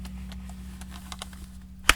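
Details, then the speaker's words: Small Hungarian spring air rifle cocked with microphone close, after refinement: quiet cocking stroke with faint light ticks and one crisp latch click, no grinding or spring popping as before; still hard to cock. "and that is completely different than when I started uh if you remember the beginning first time I did this a lot of crunching and grinding and you hear the spring popping and popping uncomfortably inside its chamber so that is pretty darn nice in comparison"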